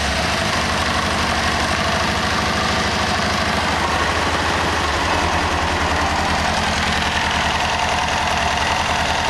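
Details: 1998 Kawasaki ZX6R inline-four after valve adjustment, fuel tank removed: steady idle with faint, quick, regular top-end ticking, same noise as before but less noticeable; source not found.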